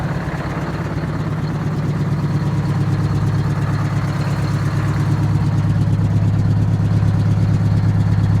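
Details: 1969 International 400 dump truck, Detroit 8V-71 two-stroke diesel, after freeing the injector rack and fixing starting: deep, even drone that builds smoothly as it revs, firing steady with no knocks; running healthy.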